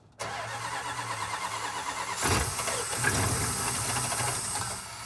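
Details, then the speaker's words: Roadkill project with 400 cubic inch big block Chrysler, cold in freezing weather, using starting fluid: rough churn about two seconds, then catches to an uneven idle; hard cold start. "This thing doesn't want to start, though, when it's cold, so I got the starting sauce here."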